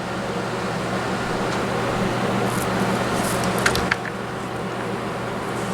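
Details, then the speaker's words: Vacuum cleaner running after its brush roll was cleaned of hair and a lodged object that had caused funny noises; steady, even motor drone with no rattles or thumps from the brush, running smoothly. "Okay, let's turn it on and make sure that it sounds properly. Now that the brush roll is clean."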